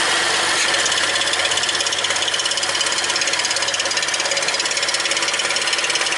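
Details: BMW 335 (N55) after PCV hose work with the catch can removed, started to check for a vacuum leak. Harsh hissing idle with a steady pulsing throb about three times a second; rough idle, cause not yet pinned down.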